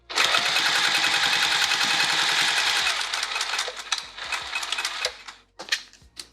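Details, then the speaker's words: Sewing machine stitching a pouch: rapid, slightly uneven, clunky knocks about three per second; owner suspects it needs a new needle and oil, not confirmed. "I think I need a new needle and possibly some oil in my machine. I can just hear it a little bit clunky."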